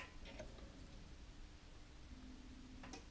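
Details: Mobility scooter after throttle pot replacement and adjustment: two sharp clicks about 2.5 seconds apart over a faint motor hum as the electromagnetic brake engages normally during a test.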